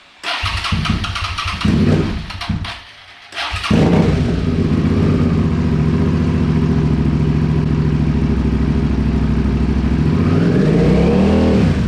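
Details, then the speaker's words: A Suzuki SV650 (2003–2009 type) just after its OEM fuel pump was rebuilt: the starter spins, the engine catches within seconds and settles into a steady, even idle with a short rev. It sounds healthy and different from before the repair. "it sounds different than the last [Music] one sounds healthy huh"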